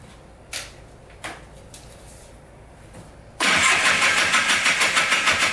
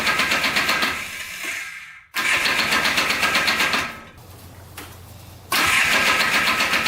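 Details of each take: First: $250 Polaris Trail Boss 250 4x4 ATV, new starter, carburetor cleaned: clicks, catches, pulses unevenly about three beats a second; rough idle, owner suspected crank bearings from crank play; teardown found piston skirt broken off with metal shavings. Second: Junk Polaris Trail Boss 250 4x4 ATV, cleaned carburetor and new starter, run with the clutch removed to trace an earlier noise; small engine fires in lively bursts with no squeal, much quieter; clutch suspected misinstalled or worn, normal running.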